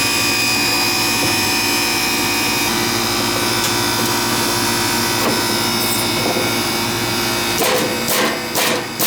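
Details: Old Ganitrol AC outdoor condenser that reportedly would not run while the indoor unit did, now switched on: steady electrical hum with a smooth fan wash, level until handling noise at the end; normal running.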